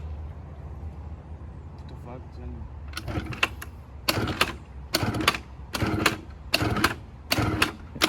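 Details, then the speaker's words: 1986 Honda Spree scooter, bought running with original carb: weak uneven idle broken by rough surges about once a second that die back; dies when throttle is added, gummed fuel system suspected, needs cleaning. "as soon as you start giving it throttle it dies so maybe the fuel just needs to be kind of cleaned out regardless it's going to have to be cleaned it's sounds like it's dying now yeah so it's probably gum"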